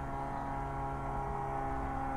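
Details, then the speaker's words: Jaguar XJS V12 track car, first start after nearly three years stored in a shed: fuel pump one feeds the carburetors from the surge tank, a steady electric hum that sags as it loads down; normal priming. "then there we go we can hear the fuel pump starting to load down"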